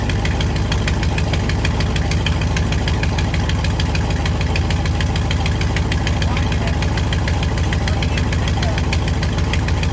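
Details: 1955 Buick Roadmaster 322ci Fireball V8, first runs after revival with new plugs; rapid, fairly even ticking about three per second over a loud steady idle, clearing up at higher rpm; suspected exhaust leak or valve train noise, not confirmed.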